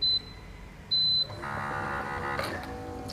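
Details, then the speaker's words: Bolde Smart Fountain Expresso digital water dispenser on 220 V after replacing the mini water pump: two beeps, then soft, steady, even pump hum; water flows immediately, pump healthy. "Tuh, air langsung ngalir ya, dan suaranya tuh halus. Halus banget suaranya."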